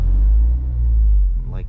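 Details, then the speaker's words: Car driving after an exhaust leak repair: a low, even exhaust rumble with no raspy puffing or ticking. It is no longer loud like before and sounds sealed. "yeah well i drove it already i go to my uncle's house so it's pretty nice it's not loud at all anymore like how it used to be it sounds good"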